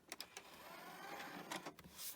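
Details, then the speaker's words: Sony CMT-M100MD micro hi-fi, working before storage, now failing: the CD spins up with a quiet whir and repeated laser-seek clicks, seeming to detect the disc but not reading the table of contents; probably needs cleaning, not confirmed. "it's not able to read the CD. So it sounds like it's having a good go, and it's probably recognising the CD's in there, but just not reading the table of contents."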